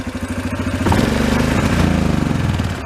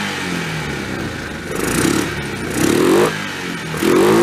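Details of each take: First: 2003 Yamaha Kodiak ATV that revs then breaks up and tops out around 15-20 mph; fuel was drained. Slow, lumpy single-cylinder idle at about four beats a second; a throttle blip swells then sags flat, mixture too rich. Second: 2003 Yamaha Kodiak ATV single-cylinder, just reassembled and started with choke then choke off: steady idle with three clean throttle blips that rise and settle without stumbling or popping; running properly.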